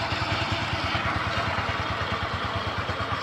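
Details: Kymco Easy scooter after a new part was fitted, fixing the earlier krek-krek idle noise near the CVT: even low putter at about three beats a second with a light blip, no knocks or rattles, CVT smooth; normal idle.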